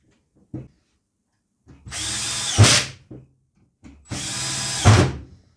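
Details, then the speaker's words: Milwaukee M18 FMTIWF12 1/2" impact wrench, after repair: two clean bursts of whirring and hammering that stop crisply on trigger release. Its power problems were fixed by cleaning the switch with electrical contact cleaner, and it now runs like new. "so here we are now going like brand new and all it took was a little bit of contact spray"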